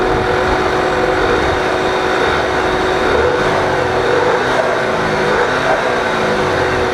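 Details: 2009 Volkswagen CC Sport, freshly washed engine, started and left idling: steady whooshing fan roar over the idle, running continuously from startup without cycling off; owner suspects the SAM module or possibly the ambient air temperature sensor.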